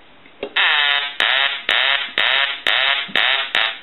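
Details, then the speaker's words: Duck novelty telephone repaired after power-surge damage and a broken line; on test its ringer gives repeated quacking bursts, about two a second in a steady cadence, clean and strong, so it works normally. "but the telephone is repaired now what we want to do is I want to go ahead and ring the duck always did ring or quack"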